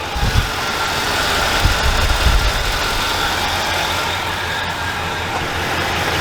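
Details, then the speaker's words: Dodge Dakota after an engine swap, first fire-up after the timing tensioner problem was fixed: smooth, steady idle with an even low rumble and no ticking or tapping on top. Normal, healthy idle. "Alright guys, check this out. Got her all back up and running. And listen to that purr."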